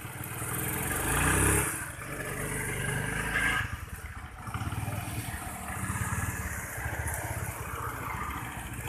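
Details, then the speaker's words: Honda Vario 110 scooter stumbling at low rpm with mid and upper rpm normal, vacuum rubber fine: engine stumbles and sags as the throttle first opens, then picks up; loose carb choke and tight valve clearance. "Jadi kalau mengenai jalan atau putaran tengah atas normal, tapi putaran bawah tidak normal."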